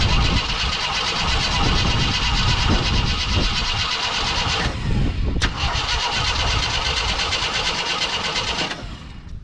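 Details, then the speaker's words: 42-year-old army Jeep, not started since 2009, cranked using starter fluid in the carb. Steady cranking about three turns a second never catches; owner suspects an empty tank, the carb trying but getting no fuel. "i think it might be empty because the carb is trying to pump fuel it's just not giving it to it"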